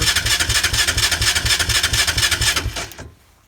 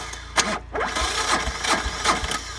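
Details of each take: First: Engine with no battery, run on a 1000 A compact jump starter, choke on, not started all winter: even starter cranking about two beats a second for nearly three seconds, then it stops without catching. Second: 1999 Polaris D455 diesel ATV, two batteries, sat unused all winter, no glow plugs, cranked on a 1000 amp compact jump starter; strong, even, brisk cranking with a steady compression beat, no catch yet, healthy turnover.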